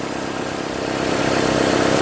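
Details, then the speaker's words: 2005 Nissan Altima 2.5L four-cylinder idling after valve cover replacement and new plugs, coils and boots for oil-leak-caused misfires; smooth, even idle with steady beat, no skips or stumbles; no misfire, sounds healthy. "it runs it lives it doesn't backfire or not backfire but misfire Yes No it should be good yeah that should be good until the next issue"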